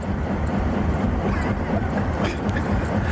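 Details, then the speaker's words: Honda CR-V with low power that can't exceed 40 mph, code P2646 rocker arm oil control system A bank 1 stuck off: deep droning train-like rumble with a steady low pulse while driving. The VVT solenoid/block needs replacing. "Well, code P26 46 It says rocker arm oil control system A bank one stuck off."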